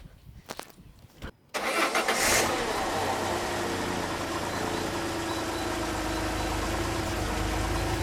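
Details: Peugeot 605 3.0L SV with PRV V6 (petrol): engine cranks, catches and settles into an uneven, slightly lumpy idle; leaking fuel pressure regulator diaphragm passes much fuel, pressure too high.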